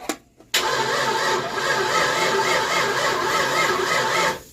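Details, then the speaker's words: 1988 Ford Mustang GT, after pulling the distributor and resetting number one to top dead center: the starter cranks steadily about four seconds with a wavering whirr but never catches; still no spark, new coil later found bubbling. "But we have got no spark again."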